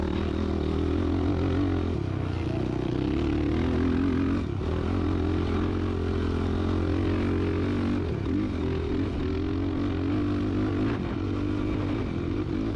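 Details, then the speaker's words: Built Yamaha YFZ450R quad on sand dunes, single-cylinder engine under hard load: pitch sags and flattens instead of pulling cleanly, bogging. It was running rich, and fuel settings were then leaned from 666 to 655. "So right here you can hear it kind of bogging down, and at that point I realized it's running pretty fat."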